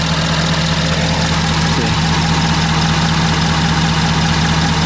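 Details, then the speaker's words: 2011 Ford F350 6.7 Powerstroke diesel with a replacement engine, running after a shorted fuse and sensor were replaced: deep, steady idle with an even beat around two and a half per second, no knocks. It runs smoothly. "well as you guys can see she's running"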